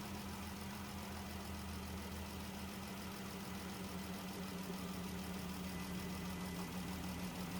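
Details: 2017 Dodge Journey idling with a P0202 misfire. Cylinder 2 injector has 12 V power but no control signal, giving an uneven, loping idle of about three pulses a second with a hitch; dead cylinder 2 misfire.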